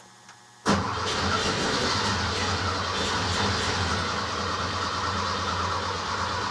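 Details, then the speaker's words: Rebuilt Porsche 912 flat-four in a 911, first start, idle stops set to keep it above 2000 rpm for cam break-in: catches after short crank into rough, lumpy idle; one carburetor dry, owner suspects stuck float; running on one bank. "well it's running but i think um it's only running on one side i don't see any squirting coming out of this side"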